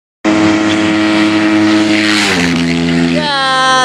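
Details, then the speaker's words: 1999 Suzuki Intruder VL1500 V-twin after sitting for years, decompression freed: uneven lumpy revving with wandering pitch, running on only one cylinder and leaking fuel from a carburetor; carbs suspected in rough shape. "it is currently running but it is leaking fuel out of a car but it's only running on one cylinder even though a decompression cylinders have both been freed up which would lead me to believe these carbs are in pretty rough shape"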